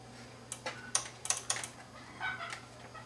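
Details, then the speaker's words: Kenwood VR-606 five-channel AV receiver, several years old, dead with no standby voltage: sharp, irregular dry relay clicks in bursts over a quiet room hum when the unit is moved, pointing to a fault on the front board. "we have a problem on this board you hear the relay clicking we have a problem on this front board here"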